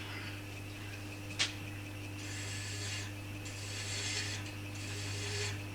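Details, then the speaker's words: Wood lathe thread chasing, adding one or two threads per pass: steady rasping strokes over the lathe hum as the chaser cuts properly and throws off a ribbon. "And again, that's your chaser cutting properly. If you see, if you're not getting a ribbon off, then your chaser is not cutting correctly."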